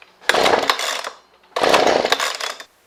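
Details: Husqvarna 125B leaf blower in for a no-start: two rasping recoil pulls with no catch, on full then half choke; plug later found soaking wet and compression feels good; cause not confirmed.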